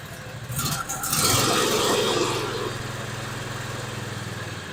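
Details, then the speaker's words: John Deere Z425 zero-turn mower, twin-cylinder Briggs engine that had seemed to run on one cylinder and choke out; after repair and carburetor cleaner, rough catch then a steady even putter with no misses, sounding much better. "sounds a lot better now lots better okay"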